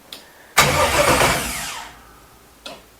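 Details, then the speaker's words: 1967 Chevelle with an LS swap on its first start attempt, with a weak battery and no fuel or fuel system yet: the starter spins the engine for about 1.5 s with no firing, then winds down. Cranks but will not start without fuel. "she wants to go man let's get some fuel in all right we got to rig up a fuel system because uh we have no fuel actually we have no fuel and we have no fuel system"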